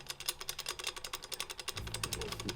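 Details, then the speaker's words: IS20 turbo removed from a 2017 VW MK7 GTI S, flapper worked by hand: light metallic clatter, about eight clicks a second, from a worn, loose wastegate. The turbine shaft has no play; the wastegate likely needs replacing. "it's pretty worn out i'm not gonna lie we've got some pretty intense wastegate chatter in here you guys can probably hear that"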